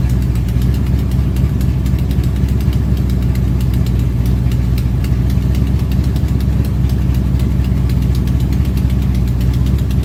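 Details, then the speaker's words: Ford Pinto race car, first running after nearly ten years stored, Holley 4150 carb, near-straight-pipe headers: loud steady rumble held at fast even idle while air bleeds are turned in for highest idle; idle sitting high. "you basically what you saw and heard was me trying to turn in the air bleeds until i got the highest idle"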